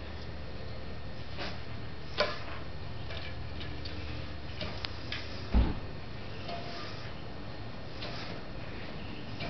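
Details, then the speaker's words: Catrike Trail trike with Avid BB5 disc brakes: right-side wheel spins smoothly with faint light pad friction ticks, normal with no odd noise, unlike the left side that vibrates and makes loud noise when braking lightly. "smoothly can hear the friction but no weird sound"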